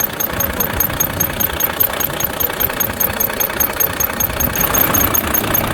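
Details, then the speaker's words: Squeak from under the valve cover of a Volvo FH13 diesel truck two days after rocker arm replacement, heard at steady idle as a quick regular chirp-like tick two to three per second, seemingly from the front; valve train squeak. "два дня назад была у нас на замене рокеров приехала со скрипом из под клапанной крышки как скрипит сейчас я это все вам покажу"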